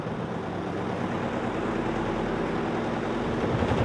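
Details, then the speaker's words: Godrej 7 kg semi-automatic washing machine spin dryer after repair (dryer buffer replaced, reassembled), heavily loaded with clothes: steady low rumble building as spin speeds up, no knocking or scraping; earlier loud noise gone, now normal. "मैंने इसमें कपड़े काफी ज्यादा दल दिए हैं लेकिन उसके बावजूद भी अब आप देख सकते हैं की यह बहुत ज्यादा आवाज़ वैसी नहीं कर रहा है अब इसकी जो आवाज़ है एकदम नॉर्मल हो गई है"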